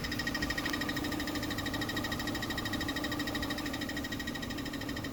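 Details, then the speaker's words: 2013 Chevy Sonic LT 1.8L idling after a transmission fluid exchange: quick, light ticking over the steady idle; owner thinks it comes from the transmission, possibly a lifter, cause unknown. "It sound like it's coming from the transmission. I don't know if it's a lifter or not."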